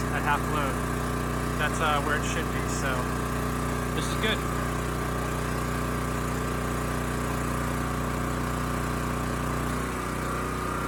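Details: Champion 40026 generator (3000 running watts, 120 V) after carburetor cleaning (rusted tank): even, steady hum under half load at 60 Hz, no surging or misfire; holding speed smoothly.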